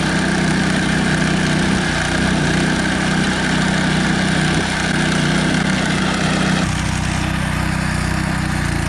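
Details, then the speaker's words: One-man rental post hole auger driven by a lawn-mower-type engine, digging under its own weight: steady laboring engine with an uneven rattle as the bit chatters against rock in the hole; auger rattle from rock. "okay there you can hear it kind of rattling there's rock in there and we'll find out after we go a little bit more that Rocky's a big rock or a book Raj typically they get broken up"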